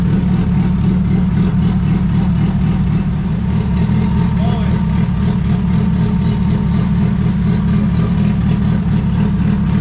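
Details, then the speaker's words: Honda D16 engine with GTX3576R turbo in EF hatch, first start on new ECU map, ignition timing reset: deep, even idle around 1000–1200 rpm with loud steady exhaust rumble and no stumbling; idling cleanly. "now we can turn the idle up a little bit because it's probably about a thousand thousand twelve hundred"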